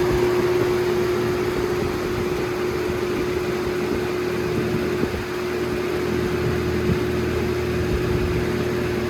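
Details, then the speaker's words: Holmes HABF-20 box fan, circa 2000–2001, on high: steady mid-pitched electric motor hum over constant air rush, no rattles or ticks; loud hum occurs mostly on high, sometimes medium, quiet on low. "the humming cell only happens on high but sometimes happens on medium but most frequently on high on high most likely so you can hear it i don't know if you hear it but the humming is there"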